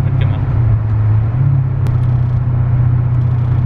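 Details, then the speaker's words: Mercedes CL500 C216, just bought, driving home: won't take throttle, runs strangely and judders. Deep uneven droning rumble with a low throb and very heavy driveline vibration; owner fears a mechanical problem, cause unclear. "sehr viel vibration sehr sehr viel vibrationen"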